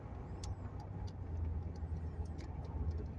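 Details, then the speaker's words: Mercury Grand Marquis LS at about 73,000 miles, on a test drive at steady cruise. The engine is barely audible, a low even rumble with no knocks or ticks until the accelerator is mashed; normal running. "I like that you can't even hardly hear the car run. You don't even really know the motor's running till you mash accelerator."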